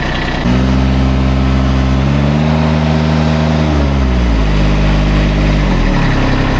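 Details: Kubota zero-turn mower that previously would not crank, after fixing the fault: engine catches and runs steadily, revving up and settling back smoothly with no misses or knocks. Normal running.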